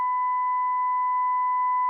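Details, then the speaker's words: 1930 tube radio, IF transformers tuned to 440 kHz, fed through a 100 W ballast lamp with a 440 kHz modulated generator signal on the antenna input, volume at maximum: a clean, steady, loud 1 kHz tone, no hum or crackle; normal reception. "et donc sur le générateur de signaux là je suis bien en train d'envoyer le signal modulé 440 kHz voilà donc là on entend très"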